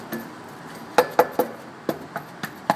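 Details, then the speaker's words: 2005 Hyundai Santa Fe with rattle on acceleration, exhaust heat shields tapped under the car while cool; each tap gives a short clean clink with no buzz or rattle after, shields are secure. "everything seems pretty solid I did the visual as well"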